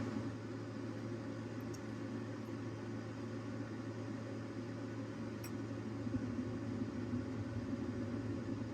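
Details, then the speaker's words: Dometic RV furnace just lit after the thermostat and control box were upgraded to a Single Zone LCD digital unit: low steady blower hum with an even rumble, no knocks, rattles or squeals; normal furnace operation. "Okay, furnace just lit. I'm going to cycle this off."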